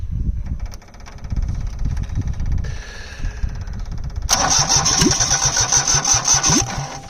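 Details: Perkins 103-10 diesel repowering a Cushman Truckster, cranked with the engine kill held to clear smoke on a weak battery boosted by a charger on engine-start mode; steady crank with a few uneven puffs but it never catches. Cause suspected, not confirmed.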